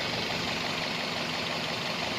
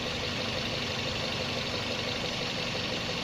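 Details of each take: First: 2003-2006 first-generation Toyota Vios after fixing a vacuum problem that caused engine shaking: engine idles with an even, steady hiss and hum, no misses or surging; normal smooth idle. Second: Toyota Vios Gen 1 (2003–06) rough idle: uneven, slightly irregular pulse under a hissy background. Vacuum problem suspected, sensors being checked; not yet pinned down.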